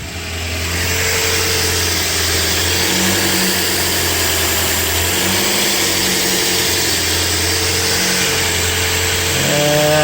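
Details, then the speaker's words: Toyota four-cylinder idling while diagnosing P0171/P0174 lean codes: a steady, airy hiss over the low idle hum, with a fluttering idle. This is a vacuum leak, simulated by disconnecting a hose. "i'm not sure if you can hear on the camera if i go back under the hood i'll try to get it you can hear the hissing from the vacuum leak"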